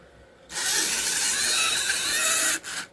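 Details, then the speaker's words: Restored Tyco Santa Fe F-unit model locomotive on track: harsh, raspy, high-pitched grinding whir for about two seconds, then it cuts out; the owner suspects poor track contacts, and the cause is unconfirmed. "Sounds like... odd noise that it makes. Weird."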